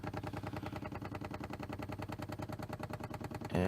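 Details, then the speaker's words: 1993 C4 Corvette lumbar pump after diaphragm repair with a bicycle inner tube, tested before refitting the seat: quick even chatter about three strokes a second, steady, lumbar inflating; normal lumbar pump operation. "you can try out the button and see if the lumbar pump and you can hear it going"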